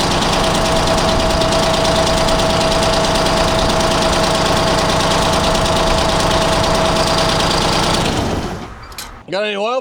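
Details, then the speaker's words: 1975 Freightliner FLT with Detroit Diesel two-stroke V12, long sitting, just started with ether after fuel system work: loud clatter with an uneven limping beat; one cylinder on a bank dead. "I got to have a dead one on this bank or something."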